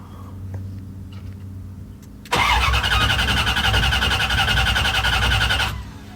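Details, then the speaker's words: Freshly wired engine, with a new computer and fuel pump now getting fuel and building oil pressure, cranks evenly at about four beats a second but never fires; crank no start, owner suspects the fuel injectors need cleaning. "I can smell gas. Gas is not the problem. Gas is not the problem. Clean the injectors and go"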